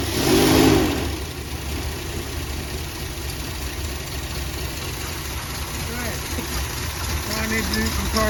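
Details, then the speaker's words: 35-year-old RV with 454 big-block V8, first start for cam break-in on a 27° morning, fuel pump checked: idles and revs with a deep, even rumble and no knocks or misses; sounds healthy; normal running. "got a lot of good stuff done I was really happy to hear the motor run and and uh that that it sounds good"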